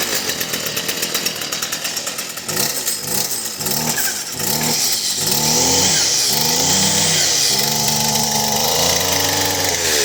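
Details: First cold start of a chainsaw after a new OEM muffler, replacing one that overheated, melted and caught fire; very little gas in it. Several pull-cord rasps, then it catches and settles into an even, buzzy idle.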